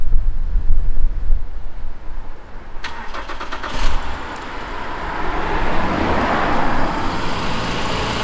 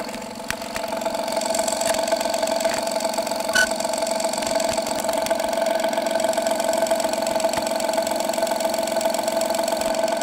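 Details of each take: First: 2016 Honda Pilot III J30A9 V6 after timing belt tensioner replacement, cold start after sitting overnight: brief crank then even, steady idle with no knock or ticking; repair confirmed. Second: 2016 Honda Pilot III J30A9 V6 at cold idle, mic on hanger probe; regular tick about three a second over steady hum, fades after 2-3 minutes warm, returns after 3-4 hours off; failed timing belt tensioner.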